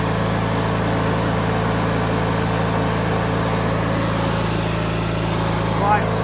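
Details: 2003 Craftsman (AYP) DYT4000 lawn tractor (hydro, electric PTO, GT5000 hood), blades being engaged; smooth, steady low drone, no misses or knocks, healthy under blade load. Normal running.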